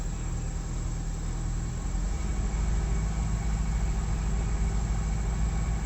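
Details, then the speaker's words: Prevost bus with Detroit Diesel 8V92TA DDEC2, down on power with engine surge, barely on the throttle: low diesel drone with an uneven pulsing beat and felt shaking; misfire from a stuck injector plunger, fixed later by new injectors. "It's barely on the throttle. You can kind of feel Yeah, I feel the engine you feel shaking. it."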